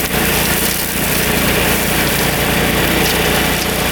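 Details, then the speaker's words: Riding mower with a freshly installed Kohler Command 14 hp engine, believed 14 hp, new battery, test run: steady, even drone at constant speed, no misses, knocks or surging, under light brush-cutting load; running healthy. "Alright, test run. That works pretty well. That cuts really nice. Not too bad."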